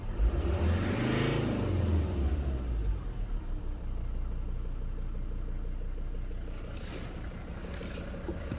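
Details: 2014 Volvo V40 D3 diesel: quick rev dropping back to idle, then a fairly regular knock about three per second over the diesel clatter; owner wonders if injectors, cause unknown.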